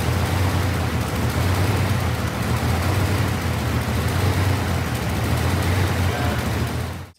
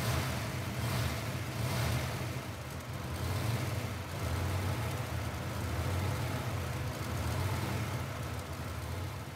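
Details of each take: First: V8 car with a rattling exhaust cutout: rough, lumpy idle with an uneven skipping beat. Infrared thermometer checks on the header tubes showed cylinder seven not firing or not getting fuel. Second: V8 car after the intake was removed: it settles into a smooth, even low rumble with gentle blips and no stumble or skip. It is running great with no misfire.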